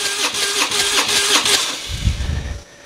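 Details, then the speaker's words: Harley-Davidson Twin Cam compression test, rear cylinder, full throttle cranking: about two and a half beats a second, uneven lopsided rhythm; gauge reads only 80–90 psi, low compression; cause unconfirmed, possibly scored bore, worn rings or poorly seating valves. "And there's our problem. If you can see that, we're reading about 80 to 90 psi. There's something going on with the rear cylinder."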